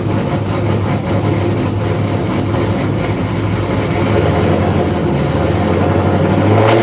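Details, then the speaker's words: Supercharged engine cold, not revved: steady low drone at idle, slightly breaking up, with faint blower whine on top; cold stumble, cause not confirmed. "I don't know if you guys can hear the blower whine through the camera."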